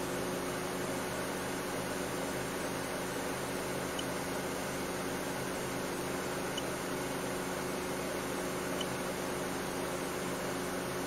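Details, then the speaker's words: 2008 Mercedes W204 C180 Kompressor, engine running after start: cooling fan at a steady, moderate, normal speed with no surging or roaring, while AC refrigerant pressure reads zero bar; fault had been fan running constantly loud (code B10 7A15). "okay so the refrigerant pressure now is uh is changed to zero bar um and the fan is not running like mad actually"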